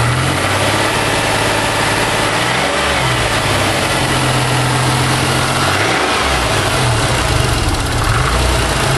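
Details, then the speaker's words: 1991 Chrysler LeBaron convertible 3.0 V6, cold start after nearly 7 months sitting through a Minnesota winter, warming up: smooth even idle with only the faintest lifter tick, quieter than usual after sitting; normal idle. "usually the lifters on these three o's make a little bit more noise too after they sat but wasn't too bad"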